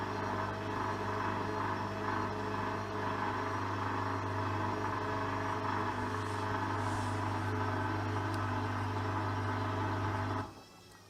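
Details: Hoover washing machine, coloureds 40°C bedding load, fifth spin: drum spins with a steady hum about ten seconds then the motor cuts out abruptly; spin aborted because the load was too unbalanced.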